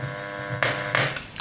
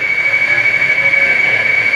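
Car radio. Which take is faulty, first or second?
second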